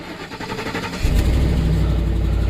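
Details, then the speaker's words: Ford F-150 with chip key security light and door-chime electrical gremlin: about a second of cranking, then catches cleanly and settles into steady even low idle; normal engine start. "but you can hear it runs pretty good"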